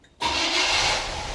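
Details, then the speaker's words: 1980 Cadillac Coupe DeVille, 6.0 L 368 V8, restarted warm after an oil and filter change while watching the oil pressure light; quick sharp crank settling into a steady even idle, no knocks or stumbles, normal start. "And I'm going to start it one more time, watching for that oil pressure light."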